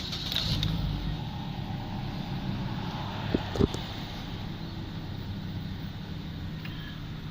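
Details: 2015 Holden Cruze Equipe JH sedan with a 1.8 F18D4 engine and automatic transmission, about 74,238–74,248 km, being dismantled. Started from inside the car, it runs at a steady, even idle with no knocks, ticks or misses.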